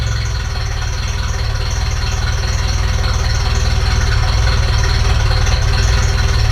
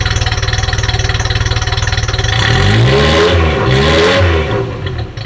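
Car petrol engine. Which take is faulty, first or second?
first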